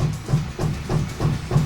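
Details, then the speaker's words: Anycubic Photon M3 Max resin 3D printer after a screen replacement: harsh grinding pulses about three per second while the Z-axis homes, as if the drive is straining against its end of travel. Cause unconfirmed. "home yep that doesn't sound good at all what the hell what the was that I set the home what the was that"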